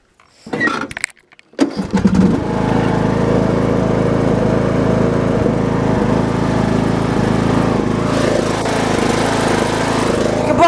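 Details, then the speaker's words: Briggs & Stratton Intek 17.5 HP lawn tractor engine, before carburetor cleaning: catches after a couple of failed pulls, then chugs unevenly with dips and pulses, idling terribly; owner doubts the carburetor is the cause. "it's not bad something all the time it lasts inside loud but it's definitely so tough idols terribly"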